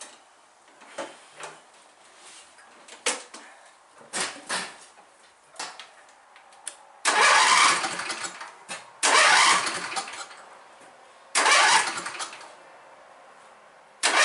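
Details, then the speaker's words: John Deere riding mower with 48" deck, older and neglected: starter whirs in short bursts of about a second with no turning-over rhythm, starter gear seems not to engage the engine, though the engine spins fine; owner suspects an electrical fault after sparks were seen near the battery. "it sounds like the starter gear and the bevel in there is an engaging proper it sounds like it isn't going up and hitting the engine or like it's going up and hitting the engine and the engine just isn't moving"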